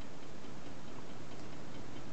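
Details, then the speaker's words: Homemade tin-can Stirling engine on a methylated spirit burner, slow runner with wobbly handmade wooden flywheel and pulley: faint regular light tick each turn under quiet running; slight ticking, cause not confirmed. "there's a slight noise to it slight ticking I don't know if you can hear it but it seems to run quite sweetly"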